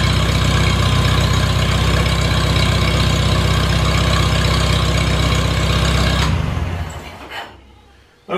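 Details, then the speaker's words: Farmall Super A tractor, cool after sitting, runs after ground and wire repairs restored spark: steady, even putter about four beats a second, smooth, then dies away near the end; owner thinks she'll run fine. "I think we had fire I think she's going to run just fine"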